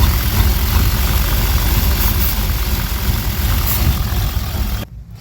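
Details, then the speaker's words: 1992 Chevy Silverado 350 TBI: deep, uneven idle with an irregular lumpy pulse, misfiring around 1300-1500 rpm but fine at wide open throttle; suspected leaking negative-back-pressure EGR valve diaphragm, gasket found cooked. "Alright, and just to say, like, it under load, like wide open throttle, it seems fine. But at that low RPM, there is a misfire. I know there is."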